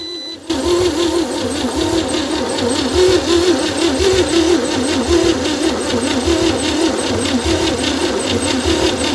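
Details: 1960 Chevy C10 235 six after 40 years sitting, spark confirmed, blow-by noted: long steady wavering cranking that never catches; owner suspects unseated rings, possibly tight valves needing adjustment; cranks no start.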